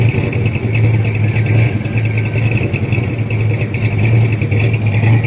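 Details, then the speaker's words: Rebuilt 1979 Ford F150 engine at normal warm idle: deep, choppy, loping beat under a steady rumble from a big-lift cam rocking the truck; normal for this build. "that's how much the truck is being rocked every time that cam hits"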